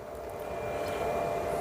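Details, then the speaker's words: ASMOKE Essential pellet grill blower fan after reconnecting the battery and control-board wires: steady airy whoosh with a faint hum, no rattle. The fan runs normally, but an igniter error 103 follows. "All right, battery's back in. All right, here we go. All right, fan kicked on."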